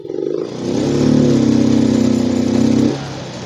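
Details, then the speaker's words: Yamaha Mio M3 125 injected scooter, sluggish, injector cleaned, fuel pump and TPS normal, stuck around 20 km/h when ridden: throttle eased open slowly, revs climb only partway, hang flat then drop; hesitation traced to faulty ECU, not wiring. "Nah, saya menemukan masalahnya hari ini. Masalahnya ada di ECU. Jadi, masalahnya bukan pada kabel, tetapi pada ECU."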